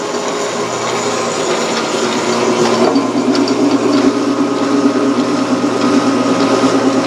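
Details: Grizzly G1550 8x18 metal lathe, after oiling dry idler pulley: steady even motor and belt hum with light whir, no squeal or chatter; running smoothly.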